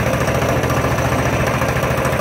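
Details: 2018 Coleman CT200U minibike with a Honda GX200 knock-off engine, started on choke: a quick, even single-cylinder putter with no misses or knocks; idling cleanly and running very well.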